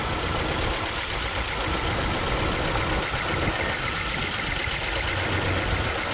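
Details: Hyundai Verna with check engine light staying on: uneven idle with irregular stumbles and ragged beat instead of smooth hum; engine misfire, one cylinder seemingly misfiring.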